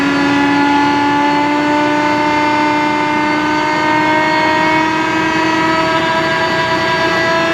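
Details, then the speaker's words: John Deere Green F12 090 hydraulic motor bench-run without load after teardown and reassembly, spun at speed in both directions to reproduce a customer-reported squeal: smooth steady hum with constant tone, no squeal or rising whine either direction; runs normally. "I don't hear it sqeauling. Try it the other way? All right. No noise that direction."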